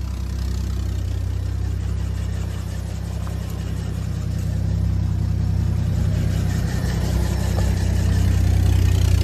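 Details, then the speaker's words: Worn, freshly revived 250 inline-six in a 1973 Chevrolet K-10 flatbed idles rough and lumpy with uneven chuffing and lean pops after driving home; owner thinks lean pops blew the exhaust off, suspected exhaust leak. "You could hear the pops. Yeah, she's lean popping pretty good."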